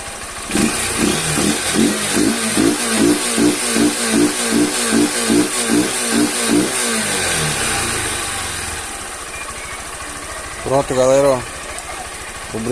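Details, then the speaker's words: Honda CG 160 Fan with 6,000 km after a home valve adjustment, idling warm: an even single-cylinder idle with no tapping, plus a throttle blip. The valve noise is gone and the engine sounds normal. "ficou já ó Parou de bater as válvula agora galera ficou normal"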